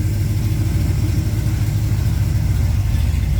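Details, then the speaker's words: 1969 Camaro, freshly rebuilt 327 small block Chevy (bored .040 over, 480 lift cam): deep steady lumpy idle, slight lifter tick, running a little rich, carburetor untuned with only idle set; runs fine. "Sounds good though. I can smell that she's running a little rich. I have not tuned at all in the carburetor, really. I just got the idle set. But so far so good. She's running good. No issues."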